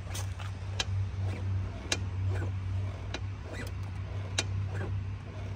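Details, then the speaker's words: CF Moto 250 SR motorcycle, rear suspension bounced: sharp clicks about every 1.2 seconds from the swingarm pivot; noise gone after loosening the swingarm pivot nut. "Hoş geldiniz dostlar bu bölümümüzde CF 250 sarın mafsalından ses geliyor bakalım çözebilecek miyiz ses şöyle evet tık ediyor"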